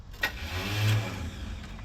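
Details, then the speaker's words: 1974 C10 truck with a used replacement starter fitted in the driveway: a brief electric whir winds up and dies with no cranking, because the starter spins but its pinion doesn't kick out to engage the flywheel. "Starter spun, but it didn't kick out. Let's whack it with a hammer a couple times."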